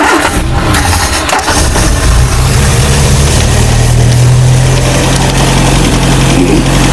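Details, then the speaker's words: 1968 Commer 2500 van, out of gear, needing more choke to start: it cranks briefly, catches and settles into a loud, somewhat uneven idle. Carburetor or spark suspected. Hard starting. "It needs more choke to actually start. That's one of its symptoms."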